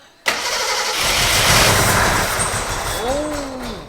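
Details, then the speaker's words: Gilbern Invader Mk3 barn find once the fuel pipe was put in fuel: engine catches but runs uneven and lumpy; plugs suspected, and one spark plug was found loose. Misfire from loose spark plug. "let me clean plugs i think it's plugs turn it off so close we'll just start taking the plugs out and what happened cause one of them was loose"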